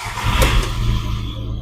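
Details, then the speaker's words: VW Polo after mass air flow sensor wiring was cleaned, taped and reconnected and fault codes were cleared: quick crank and catch, a brief rev, then a smooth steady idle with no stumble; normal start and idle. "So ನಮ್ಮ fault ಏನಿದೆ clear ಆಗಿದೆ. Almost wiring ಎಲ್ಲ fault clear ಮಾಡಿದೀವಿ."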